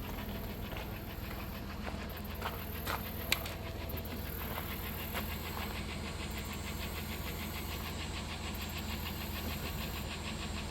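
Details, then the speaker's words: 1993 Plymouth Grand Voyager SE, Chrysler 3.3/3.8 V6, revived after 18 years abandoned, after MAP sensor replacement, warming up at idle: light, quick ticking about twice a second over a low steady idle. A valvetrain tick is suspected, not confirmed. "okay might as well let this thing warm up please stop ticking"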